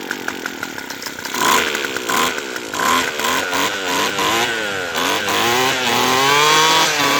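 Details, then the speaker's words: Craftsman Sim-Pull two-stroke string trimmer after carburetor replacement: revs up cleanly in bursts but sags and stumbles when let back down; idle speed set too low. "But this one opens up really well. I think it just needs a little idle speed."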